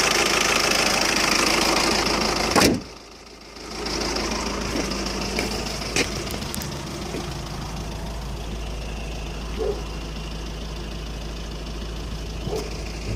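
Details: 2007 Skoda Octavia vRS PD TDI 170 diesel: lumpy, irregular idle with periodic stumbles, engine rocking at tickover, constant unburnt-diesel-smelling smoke, poor performance; owner suspects an injector problem — rough idle/misfire, not confirmed.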